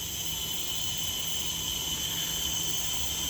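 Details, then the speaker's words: Worn SL100 motor in XL125 frame, engine off, about 100 psi air fed through spark plug hole: steady high-pitched hiss of air leaking from the cylinder, heard mainly at the muffler, slightly at the carburetor; compression leak. "I got about 100 PSI running through that hose right there. And as you can hear, we got a leak somewhere."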